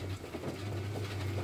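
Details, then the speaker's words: Aftermarket electric retractable antenna retracting when ignition switched off, after replacing a blown fuse (antenna was fine): steady low motor hum, no grinding or stalling; working properly. "Donc là elle est sortie entièrement et dès que je coupe le contact, voilà, elle se rétracte."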